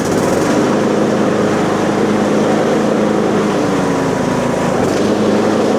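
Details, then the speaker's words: Husqvarna 42-inch riding mower after replacing a broken pulley and a loose, incorrectly installed pulley on the deck: loud steady engine drone with blades engaged, even beat, no rattle; slight shaking is normal, running correctly. "Okay, as you see, it's shaking, but it's normal. It's supposed to be like that."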